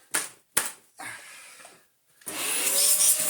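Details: Dyson DC04 after motor replacement and a different clutch with fresh belts fitted: after handling knocks, it runs up to a steady, even, high rush of air with no rattles or labouring. Normal running.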